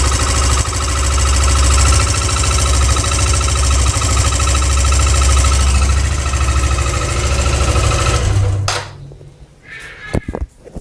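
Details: Suzuki GSR 150i fuel-injected motorcycle idling with a light, even ticking over its thump: normal fuel injector clicking, also heard when ignition is switched on.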